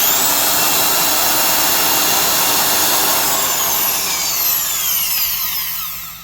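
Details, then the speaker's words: Milwaukee 1670 single-speed 900 rpm 1/2" Hole Hawg stud and joist drill running. Steady high motor whine, no chatter or sparking crackle, then smooth even wind-down; sounds fine without needing new gear grease or reseated brushes: normal drill run. "Doesn't sound as bad as pulling out that motor and shoving some new grease in the gears. Reseating the brushes. It actually sounds just fine."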